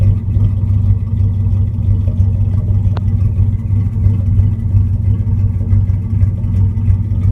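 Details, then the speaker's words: 1998 Dodge Ram 5.9 Magnum V8 with all valve seals replaced and a cracked cat: deep, lumpy rumble with an uneven, stumbling beat; misfire, owner unsure whether from rings or a plenum gasket air leak. "I mean you can hear that misfire"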